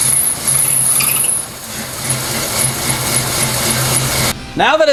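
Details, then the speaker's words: 1979 AMC Spirit AMX, 304 V8, running right after a new starter was fitted, having sat for months: thin, high-pitched chirping squeak riding over the engine; source not yet confirmed, a squeak still to be dealt with. "actually running again and i clearly still have a squeak which i'll deal with in a moment"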